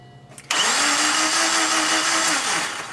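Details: 2001 Subaru Impreza with the EJ20 engine: a steady starter whine with the engine spinning evenly for about two seconds and never firing before it winds down. It cranks but won't start.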